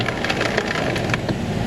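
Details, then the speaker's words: Ford Edge power window with salvage-yard glass fitted. The motor runs with crunchy, splintering clicks and rasps and no smooth travel. The window regulator is bad; the glass is fine. "Oh, the glass is in there. It's got a bad regulator. It's not the glass."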